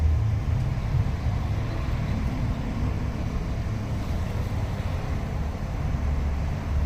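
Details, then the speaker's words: 2006 BMW 530xi 3.0L AWD, air suspension unfixed for two months, code 5F97 EHC compressor relay; compressor run via scan tool filling air springs, steady even low hum with no knocks or rattles; air suspension compressor running normally. "let's uh disconnect this i don't know how long this compressor can run for but look at that we figured it out"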